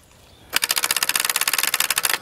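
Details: Abandoned excavator that won't crank, with a ground run to the starter: rapid metallic chatter of about fifteen clicks a second for under two seconds and no cranking at all; starter solenoid chattering, starter at fault.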